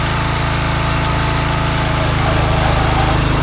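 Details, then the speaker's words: Swisher mower remotely started and blades engaged by remote control; small single-cylinder runs steady, tone shifts slightly with a little shake as blades engage, then continues smoothly; normal running with blades engaged. "You can feel a little shake there. That engages the mower."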